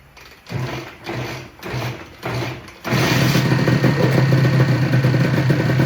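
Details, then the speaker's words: Honda NSR250 (MC21) two-stroke, crashed and unstarted for 5+ years, first start on a dummy tank: four kick bursts, then catches and settles into an even, quick idle with no knocks; normal two-stroke idle. "got it ticking over pretty nice"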